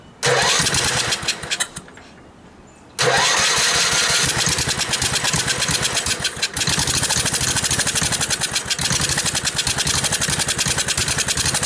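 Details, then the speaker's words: Gravely tractor with a new replacement carburettor, ethanol fuel problems and a new battery: it catches, dies, restarts and runs loud and uneven; a fuel delivery problem is suspected, either the fuel pump not pumping or debris, not confirmed. "Alright, so I got it running, but obviously there's a problem in the fuel delivery somehow."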